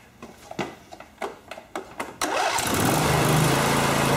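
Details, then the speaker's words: Briggs & Stratton V-Twin Intek engine after sump gasket replacement, reinstalled: about seven quick cranking pulses, then catches cleanly and settles into a steady, even run with no misfire; normal start and run. "oh man that thing fired right up man wo wo man that thing sounds we"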